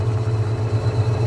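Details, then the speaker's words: Washing machine brought in for not spinning, after repair and partly still disassembled: the spin cycle runs quietly and well, with a low, steady hum, a gentle even pulse and no knocking or scraping; normal spin. "Olha gente até silenciosa trabalha bonito"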